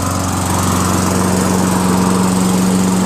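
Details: Toro Recycler 22" self-propelled mower, 6.5HP Tecumseh single-cylinder, after hydrolock cleared, carb rebuild and replaced dented jet nut: strong, steady drone at constant speed, no surging or misses; runs healthy.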